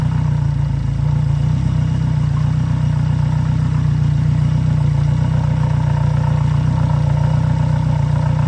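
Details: Yamaha F90/F100/F115 outboard on grass with flush muffs, just after a timing belt replacement: steady, even low idle with no knocks or misses and a neighbour's mower droning behind. Normal, healthy idle.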